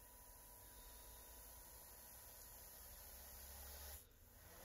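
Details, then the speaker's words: Small DC motor on Elegoo Arduino starter kit: hisses along steadily, then at about four seconds note cuts off as it jolts into full-speed reverse because program finished and restarted in opposite direction. "what happened there was the the program finished and then it started again at full whack the other way because i've got it obviously going a different direction"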